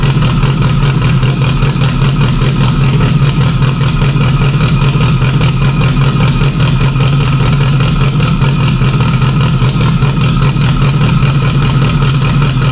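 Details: Freshly installed stock OEM Subaru EJ257 longblock in an 1100+whp STI, first start with a fuel leak under the intake manifold. It holds a steady, deep, smooth burble throughout, no knocks or ticks; normal healthy idle.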